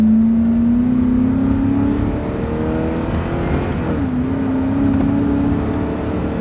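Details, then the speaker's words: Ford F-250 pickup with about 280,000 miles, road test: engine climbs hard under full throttle, then pitch drops abruptly near four seconds as it shifts; shift rougher under hard acceleration, having lost some of its horsepower. "can see when i really got on it there it did shift a little rougher"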